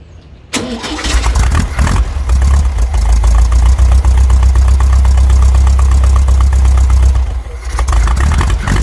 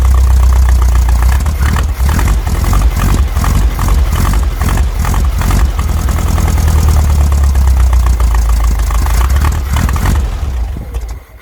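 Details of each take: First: VW Brasília (Fusca-type engine) just converted from points to a cheap Chinese Hall-sensor electronic ignition distributor: cranks, catches and settles into a low, slightly irregular idle near 600 rpm, cold, timing not yet set; windy outdoor microphone. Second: VW Brasília air-cooled flat-four after swapping a points distributor for an electronic hall-sensor ignition distributor, recorded outdoors in heavy wind: deep throbbing run, blipped up and down over wind rumble, normal running.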